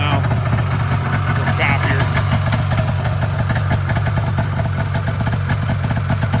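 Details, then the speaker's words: Polaris Indy 340 snowmobile two-stroke after motor swap from a parts sled: steady, even idle with consistent low burble, no stumbling or surging; runs well, though a bog later traced to gummed carbs and incorrect float settings. "you'll be able to hear it start Run's pretty good not nicer idle"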